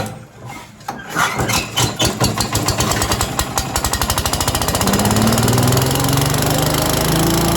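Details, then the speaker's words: Yardman 5.5 hp leaf and stick vacuum after clearing a plugged carburetor jet, pull-started: pops quicken into a steady single-cylinder roar with fan rush. Starts and runs cleanly, normal running. "all right this thing's going crazy blowing wind everywhere"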